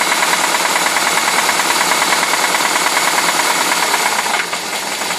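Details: UZAM-412 engine running: sharp metallic tapping about three times a second, steady with the idle; internal engine knock, cause unclear.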